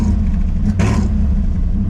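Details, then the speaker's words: Budget daily-driver race-prep car, ignition timing just corrected from about 5° after top dead center: the deep, lumpy idle gets a quick throttle blip that barely climbs and falls flat, bogging out on every gas input; something still not right. "Anytime that I give it gas, it immediately just bogs out. Something is not right."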